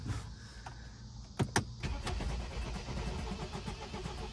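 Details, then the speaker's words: 2013 BMW 528xi, 2.0L four-cylinder turbo, at auction after a sharp couple of clicks cranks fast and evenly with no firing; cranks but will not start, no compression suspected, and a jump pack is tried. "but that was sounding like that sound was really bad looks like like there's no compression or something"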